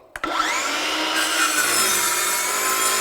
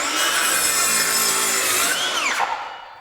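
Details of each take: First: Craftsman V20 brushless 7-1/4" circular saw CMCS550B on a 2 Ah battery, cutting a log with a knot: high whine sags mid-cut and recovers; motor bogs under load from undersized battery. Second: Craftsman V20 brushless 7-1/4" circular saw CMCS550B cutting lumber: steady high-pitched whine holds speed through the cut, then winds down cleanly, no bogging; normal cut under load.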